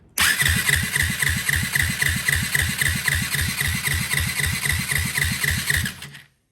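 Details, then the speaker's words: 2004 Yamaha WR450 compression test, plug out and no carburetor: even starter cranking at about four pulses a second with soft compression strokes, reading about 35 psi. That is low even allowing for the decompression mechanism. "Like 35? Huh. Now I know this does have a decompression mechanism, but we should definitely have more than 35."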